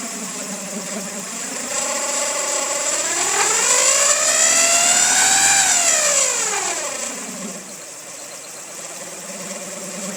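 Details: 2000 Honda Civic EX, rebuilt D16Y8, revs with a whirring tone rising and falling with speed; owner suspects cam pulley, timing tensioner or bearing; mechanical timing appears correct, source unclear.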